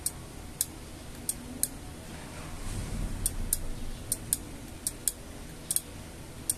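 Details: LG microwave after control board repair, door opened and closed: clean single sharp ticks, often in pairs, as the relay switches normally; before the fix, low voltage made it tick rapidly and the interior light flickered.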